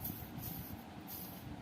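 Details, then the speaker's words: Roughly 15-year-old rusted ceiling fan being converted to BLDC: removed motor bearing (6201), spun by hand, gives a rough gritty uneven rumble; the bearing is completely worn out. "കണ്ടോ ഈ bearing പറ്റേ പോയതാ"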